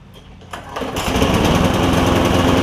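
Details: Lowe's MTD push mower with Briggs 5.25 Quantum engine, before repair: smoking, uneven lumpy running with a wet popping note and gas spitting from the carb; a tight intake valve is suspected, fixed by grinding the valve.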